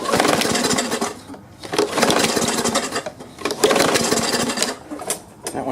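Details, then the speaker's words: Push mower engine, off-season: surges and fades in uneven bursts about every 1.5 seconds, hunting instead of holding speed, sounding noisy; owner suspects the carburetor needs cleaning and the return spring freeing up. "it tried and it sure sounds awfully noisy under here so I think I'll need to clean the carburetor out"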